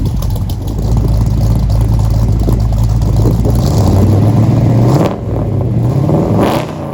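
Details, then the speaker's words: 1964 Mercury Comet V8 at first start after FloTek 180cc aluminum heads, Trick Flow Stage 1 cam, Victor Jr. intake, 1-5/8" headers, new plugs and fuel filter. Runs rough and lumpy, stumbling as revs change: a misfire that seemed ignition-related, with some smoke. "at this point I was kind of scratching my head because we had a number of issues we had solved some but basically what we had at this point was a weird miss that I was noticing it seemed ignition related to me"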